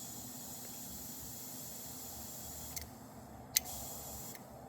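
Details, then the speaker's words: Nissan 180SX, engine off, intake pressurised with an air compressor: pressure drops at once and a faint steady hiss with a few clicks comes from around the intercooler. This boost leak is blamed for the poor idle and for running rich on boost. "You can also hear a little hiss towards the intercooler, which is right there on this car. So I'm assuming it's a pipe connected to the intercooler."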